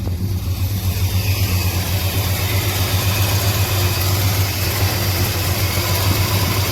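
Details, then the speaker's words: 1987 Chevy Monte Carlo SS 454 big-block after troubleshooting, warming up: steady even burble at idle with no misses or surging, much smoother than before, with a possible exhaust leak. "Sounds much smoother and happier. Sounds like it has an exhaust leak, but that's okay. Much better."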